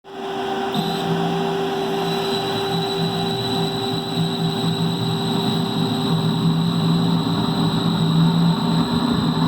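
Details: 40 horsepower direct-drive fan motor speeding up and slowing down; steady hum over a coarse, gritty rumble from rust in the bearings after sitting for an extended period.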